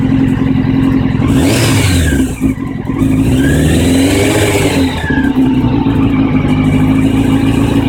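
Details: 1999 Honda CBR600F4, four-cylinder: uneven, lumpy low-speed running wavering as revs swing up and down, won't idle smoothly despite cleaned, balanced carbs, new air and fuel filters and plugs; smooth at high revs, cause unknown.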